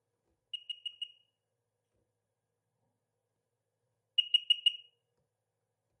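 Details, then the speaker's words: 2007 Sea-Doo RXP supercharged 215 hp jet ski during compression testing with battery charger attached: two bursts of four quick high-pitched beeps, no cranking; safety lanyard key not pushed fully on. "okay I think it was a key issue uh just didn't have it pushed on so here we go"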